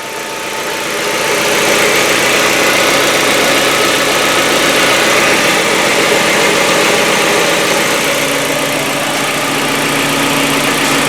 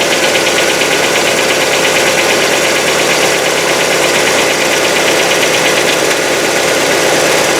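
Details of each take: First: Hyundai Getz, cold start after fresh oil and Liqui Moly hydraulic lifter additive: lifter noise lasts only 5–10 seconds, then even, steady idle with no valve-train ticking, smooth hum; lifters quiet. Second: Hyundai Getz petrol engine, fully cold after a day in the garage, winter, old oil: fast light metallic hydraulic lifter tick over steady idle hum, lasting about a minute; owner suspects dirty lifters, plans oil change then Liqui Moly additive.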